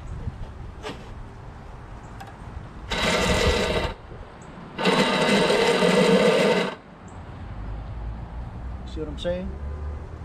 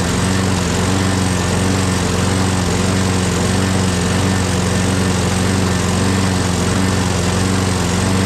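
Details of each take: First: Craftsman lawnmower, Briggs 6.5HP Quantum engine, keystart: two bursts of high free-spinning electric whir with no engine cranking; starter motor spins but its drive gear is stripped and not engaging. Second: Craftsman 6.5HP Briggs Quantum FWD mower after magneto replacement and carb clean, primed and electric-started: steady, even engine note at constant speed, no misses or surging. Owner hears an unidentified clanking and must prime it every time.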